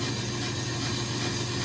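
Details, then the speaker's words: Brake lathe turning a 2017 Chevrolet Silverado half-ton 4WD rotor at very low speed on the final finishing pass: steady even hum with smooth cutting hiss and no chatter; clean, fine finish. "So, we're turning really slow now on this, which is making the cutters go really slow, putting a really fine finish on the rotor. And this will be our final pass."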